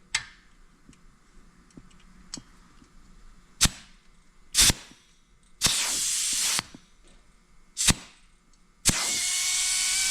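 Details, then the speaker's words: Accucraft/Aster USRA Heavy Mikado 1/32 gauge-one live-steam locomotive, alcohol-fired, pressure gauge near 60 psi while setting replacement safety valves: sharp hissing blow-offs, one staying open about a second, the last hissing without closing; safety valve slow to reseat. "You see what I mean about those not receding?"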